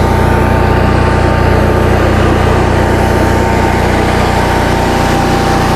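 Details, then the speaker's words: 2015 Cummins Power home standby generator, Briggs Vanguard engine, after rotor repair, warming up on a load bank at 3 kW, about 40 A at 240 V, 60 Hz: steady even drone holding under load, no hunting or surging. Running healthy. "thing is quite quiet when it's running. Turn the load bank on, fans are going."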